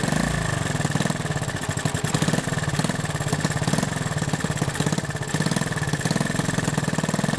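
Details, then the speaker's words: Honda 110 three-wheeler, single cylinder, after carb rebuild and points adjustment: crisp evenly spaced pops at steady idle, no misses, idling smoothly. "It's idling nice, but here you can see the points in action."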